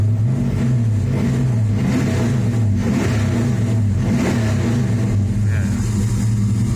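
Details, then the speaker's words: Chevy S10 with rebuilt LS 383 stroker V8 and Cam Motion camshaft: strong lopey choppy idle with clean throttle blips, no knocks or rattles; warm idle set about 750 rpm; healthy big-cam engine. "got a nice little chop i ran that cam motions camshaft or the titan five or six or something like that i really like it it sounds killer once it warms up"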